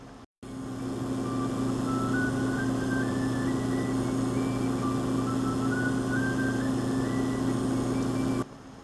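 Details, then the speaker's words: Power Mac G5 desktop computer with a noisy power supply: a steady low hum and buzz, with a faint higher tone stepping upward twice. "another small problem was that the power supply was a bit noisy as you can hear hear"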